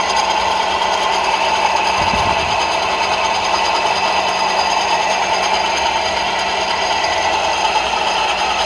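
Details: Ford Focus 2, 2.0 engine running: steady metallic rattle and ringing with a thin whine, from the AC compressor clutch knocking and ringing.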